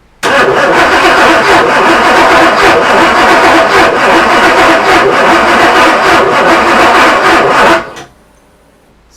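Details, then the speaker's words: Porsche 928 under restoration, first start attempts after fitting distributor cap and HT leads, fuel pump relay not jumped; steady starter churn about three and a half beats per second for seven seconds, never catching. Crank no start, suspected not enough fuel yet. "I guess there's not enough fuel through yet"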